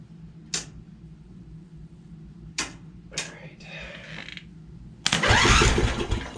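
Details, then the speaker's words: Free Craftsman riding mower that would not start, starter jumped directly from the solenoid hot side to ground: a few sharp clicks, then an even, brisk cranking whir; starter and motor sound good, key switch still faulty. "Alright, so the starter's good. Motor sounds good."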